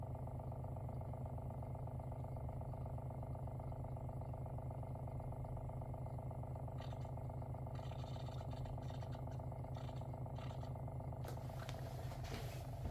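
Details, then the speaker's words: WaterFirst Dr.Water Y countertop reverse osmosis purifier (5-stage, 3:1 pure to drain), brand new, first-time setup, filter cycle with bubbles rising: even, steady low pump hum with soft fast pulse, no knocking or rattle; normal running. "Sure, sounds like it's working. Yeah, you can see it's working."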